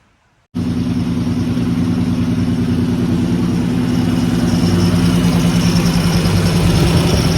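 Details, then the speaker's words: 1950 Dodge B2B truck flathead, parked since 1978, fed from a temporary tank through all-new hoses with filtered gas and a working fuel pump, with no leaks: a steady, even low idle that holds smoothly and lifts slightly. Normal idle. "Fuel pump's working. No leaks. This thing is running amazing. Listen to that. That is the best yet."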